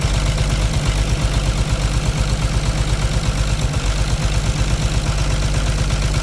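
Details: Caterpillar C13 heavy diesel idling with valve cover off during an injector cut-out test, steady but slightly uneven thumping about 167 per minute, heavy smoke; one cylinder suspected misfiring from a bad injector or rocker arm problem, not confirmed.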